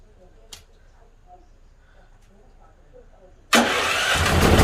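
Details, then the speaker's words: Used dual-fuel (propane or gas) generator with electric, remote and pull start, a bad computer still awaiting replacement: a few quiet seconds, then the engine fires and settles into a steady, even run; working good. "But all in all, the generator's running. It's working good."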